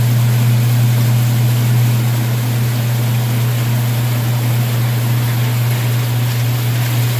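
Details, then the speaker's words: Washing machine drain pump running normally on the drain cycle: a steady, even low hum with no grinding or knocking. The lid switch was bypassed with a screwdriver and the tub filled first, and the water did drain. "We're going to let the water fill up, and then we're going to put it on the drain cycle."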